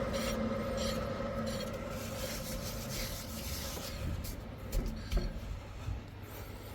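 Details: Proton Inspira (Lancer 08), rear driver-side hub spun by hand with the wheel off: a dry, rough rasping roar that grows louder as it turns faster. The worn rear wheel bearing needs replacement.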